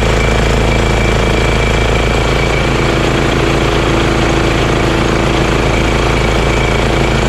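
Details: Honda GX340 single-cylinder in EZGO Workhorse golf cart repower, after verifying key start and kill switch shutoff: rapid, even thumping at steady idle speed, no misfires or surging. Normal idle.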